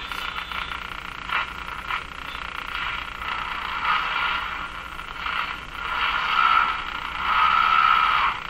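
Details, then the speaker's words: Electrohome Cosmic tube radio after final capacitors replaced, tuned across the band while bias voltage is watched; rough croaking warble swells and fades, not tracking stations, voltage rising wrongly; set breaking into oscillation. "so the behavior of the of this is not right at all not supposed to do that should be going up and down of course with every signal we come across it's going up as i tune across the band"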